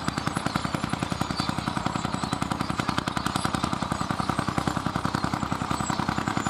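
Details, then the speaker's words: Vintage Fiat hot-bulb (testa calda) tractor, possibly 55, 60 or 70 hp and weighing about 50 quintals, ploughing at a festival: slow, crisp thumps about three and a half per second, evenly spaced under load. A hot-bulb engine running healthy. "Senti come batte Senti come batte è un testa calda senti senti che spettacolo Settimo Che spettacolo come batte bene"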